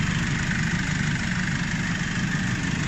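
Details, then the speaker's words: Nissan Navara D40 diesel idling after the alternator was replaced; battery and brake warning lights had come on and the headlights dimmed. Steady, even low diesel clatter with no whine or squeal from the belt side; the earlier noise is completely gone. "vous pouvez démarrer tranquillement bah là c'était flagrant le bruit il y avait plus du tout de bruit"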